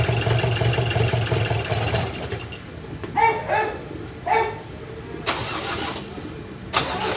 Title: Ford ranger 2.2 2018 crank no start